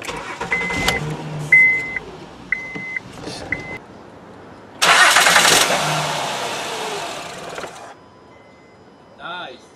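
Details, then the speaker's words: 2011 Honda Pilot that starts and dies instantly: chime beeps, engine catches with loud burst, fades out within about three seconds; the light goes off as if out of fuel, scanner shows no codes. "como vieron se apagó y se prende digo o sea cuando la prende la luz se apaga como si no hubiera gasolina o algo"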